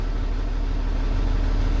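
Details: 2015 Freightliner M2 26-ft bobtail, Cummins diesel, after a fuse replacement fixed the no-start and codes 3328/3526 cleared. Steady, even low diesel rumble with no misses, knocks or surging. Normal idle.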